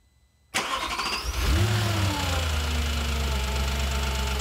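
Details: Audi B7 S4 starting and idling: quick light ticking about four a second over the hum, loudest at rear of bank 1 near the cam adjusters and cylinder 4 valve train; source not confirmed.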